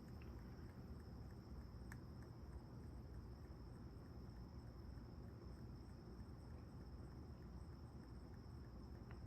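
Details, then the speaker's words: Arcade1Up Ms. Pac-Man Class of 1981 cabinet: sharp, irregular pops and faint ticks from the speakers over a low hum with volume at zero, starting randomly, sometimes before firmware boots; owner suspects a hardware issue. "it's my missed pac-man cabinet i class of 81k started making this weird popping noise today out of the blue"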